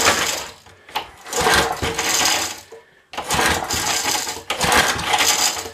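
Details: Long-sitting small pull-start engine on the bench, plug pulled to check spark, with two-stroke oil used because of its long storage: rattling pull-start bursts with a brief hint of catching; it cranks but won't start.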